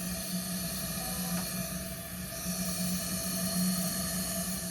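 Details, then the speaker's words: 2013 Dodge Caravan, no start, smells of gas, fuel poured from intake: quiet steady hiss of continuous fuel spray; injector stuck wide open, engine cranks once then hydrolocks; full of gas and oil, injector to be replaced. "So, I suspect that a injector is stuck wide open. That's my guess cuz it you can get one tiny crank out of it and then it hydro locks."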